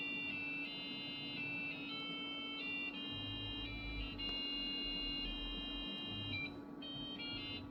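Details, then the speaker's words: Packard Bell PC with PB570 board and 100 MHz Pentium, under Windows NT 4.0: Busy Town theme plays through the PC speaker because the sound card doesn't work with the program; thin, beepy single-note melody over steady hum. "The only way it'll work is if I use the PC speaker, and it is so anemic that it's actually funny."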